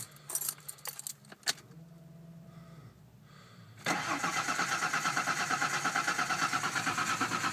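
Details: 1989 Ford Bronco II 4.0, cold, has spark and fuel: starter cranks steadily about three turns a second but engine never catches; crank no-start.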